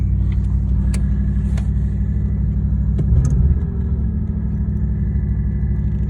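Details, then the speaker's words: Vintage woody wagon, carbureted, after 15 years in a shed, carburetor cleaned: low, even rumble at steady idle with only a couple of stray clicks; runs pretty nice, normal idle. "it's running running pretty nice though"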